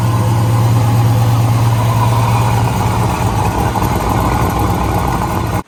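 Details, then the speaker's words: Turbo-delete setup prepped for Sick Week, with no shaft and no oil feed or drain on the turbo; loud, deep idle with a rough chuffing puff low down as exhaust blows out through the turbo housing. "so let's see now there's exhaust blowing out of the hole sounds like crap"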